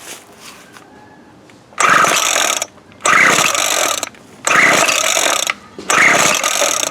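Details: Craftsman 17-inch 24cc weed eater after replacing broken fuel lines, primer ball and tank cover: four rasping pull-cord strokes, each under a second, engine never catches; owner suspects no spark, plug found wet with fuel.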